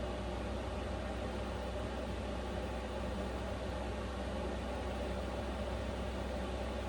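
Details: Vevor Chinese diesel heater in an uninsulated small camper in sub-zero cold, at high setting: steady even rushing fan hum with low drone, no fuel-pump clicks or surges; fan slightly noisier, running normally.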